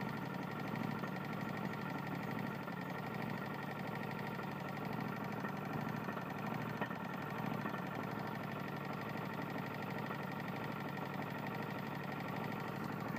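Small single-cylinder engine running with a steady, regular knock in time with the crank under the exhaust drone, typical of a worn rod.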